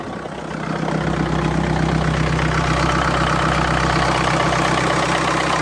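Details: BMW 525xd 2012 N47 diesel with 221,000 km idling: fast metallic rattle about four beats a second over the usual diesel clatter, from the timing chain; the full timing chain kit was later replaced.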